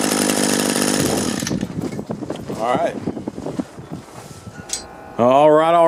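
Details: Used Echo gas two-stroke string trimmer after repair with a 3D-printed part and a good carburetor salvaged from three: a bright, high buzz held at steady revs for a moment before cutting away. Engine runs smoothly.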